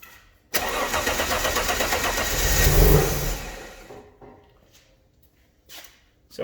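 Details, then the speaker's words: Alfa Romeo GTV V6 after mechanical restoration, first start: starter cranks, engine catches and builds to a firm even run for a couple of seconds before shutting off, no leaks; normal first start. "it starts nothing leaking as of yet no water on the floor so let's go for a full start let's hear it run properly"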